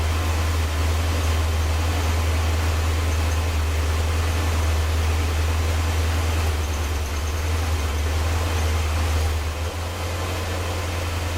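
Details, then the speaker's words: Porsche 928 V8 idling just after start, barely warmed: pulling the HT lead from a rear cylinder makes the deep idle turn noticeably lumpy and uneven, showing that cylinder was firing; checking for a suspected dead cylinder causing misfire. "It's quite clear the difference when I take off the HT lead from this back one here. The engine goes quite lumpy, so that's definitely firing."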